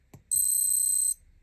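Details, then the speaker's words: Vintage Seiko Calendar Moon Phase alarm watch (80s/90s): faint click then a single short high-pitched beep under a second as the alarm crown is pulled to its first position; normal alarm-crown confirmation. "Then you have the first position. When you pull it only once, you will hear a small beep."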